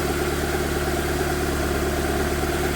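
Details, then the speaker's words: After cylinder head rebuild (new exhaust valves, reused head bolts torqued 22 ft-lb plus 260 degrees): steady, even idle with no knocks, misses or hunting, no vibration, no air in cooling system; running well. "The camera's not even vibrating, you know. The camera's not moving. This thing is running extremely well."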